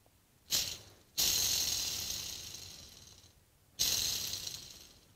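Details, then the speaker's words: Treadmill induction motor used on a bandsaw: a worn ball bearing removed and spun by hand gives a gritty, hissing rattle that fades as it slows, louder than the whole motor. "that one bearing it's making more noise than the whole motor now"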